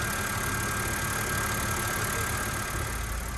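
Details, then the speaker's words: 2006 BMW 325xi, N52 engine, automatic, AWD, after camshaft sensors, fuel injector, oil leaks and AC compressor were fixed: steady, even idle with a smooth low hum and no knocks or misses. Normal idle. "it's been sitting here for a day or so runs smooth all cleaned up oil leaks are fixed ac compressor is fixed it's a pretty nice car now"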